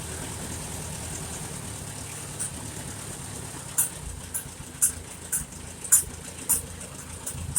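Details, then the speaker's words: 1951 Farmall Super A tractor after engine rebuild, idling after carburetor adjustment, with a little water in the gas; quiet even run with light regular ticking on top, no stumbles, sounds a lot better: normal idle. "yeah it sounds a lot better let's put a little seafoam in there fuel of it or whatever it is and help draw some of the water out of it"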